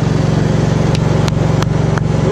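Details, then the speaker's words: Gravely 432 after stator plug repair with soldered Packard 56 connectors, in neutral, choke on, battery pack attached: steady, even low putter with a regular firing beat and no knocks or misses; charging at 14.1-14.7 volts, normal running. "Oh, look at that. It's charging. Got 14.1 volts, 14.2, 14.6, 14.7. Yeah. It's working. That's awesome."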